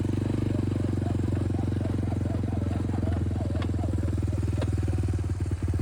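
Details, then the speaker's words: Lifted Big Red after 3 years of weekly hard mudding, test ride, steers like a tank: heavy low drone with steady fast clatter and sharp clacks from worn bearings and a U-joint that then snapped; all bearings and U-joint to be replaced, fork rebuilt. "My God, this thing steers like a tank. Clunk clunk. Or clunk clunk."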